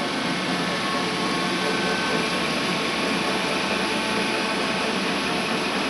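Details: Worm screen centrifuge test run after repairs for bad vibration (worn main drive bearing diameter machined and sleeved, main drive and gearbox bearings replaced): a loud, even rushing roar and steady hum with no knocks or thumping, running smoothly.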